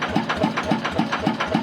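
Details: Motorcycle (TF115 upgraded to 150) at idle with sharp, regular metallic ticking about four per second; excessive valve clearance, to be adjusted with engine cold.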